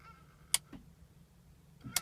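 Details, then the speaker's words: BMW X3 M Sport (2007, 57 plate), all dash lights working: key turned to start gives only a single click each time, no cranking; bump starts but jump start fails; fault was the starter motor. "Now I'm going to start the engine and nothing. All you can hear is a click."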